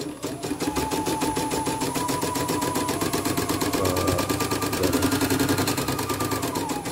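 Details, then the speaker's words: CNY E900 embroidery machine, heavy rotation: fast steady clicking at stitch rate with crackling edge each stroke; thread snagged in the rotary hook/thread path, then fixed. "Oh iya, bunyi krek-krek bosannya. Oh, kecantrel."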